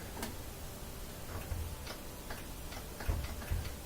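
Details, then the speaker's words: Kenmore top-loader washer that wouldn't spin: cracked lid switch case tightened with zip ties and reinstalled; several crisp light clicks as the lid switch is actuated, and it is engaging properly again. The zip tie did the trick and it spins. "hear it click so we'll plug it back in pull it out there we go so that zipped I did the trick"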